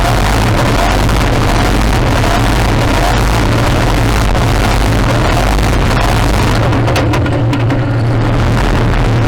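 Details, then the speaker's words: Modified pulling tractor engine with a reground camshaft at high revs under load; it keeps stuttering and cutting out in rapid jerks as the engine control unit repeatedly shuts down. "In the data, you can see that the engine control unit was indeed shutting down over and over again."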